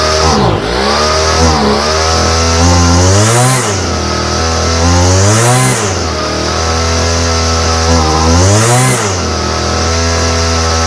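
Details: Homelite string trimmer, no model number, new non-OEM Chinese aftermarket carburetor whose mixture screws seem fixed; two-stroke hunts up and down in waves every few seconds, surging, likely fuel-mixture problem.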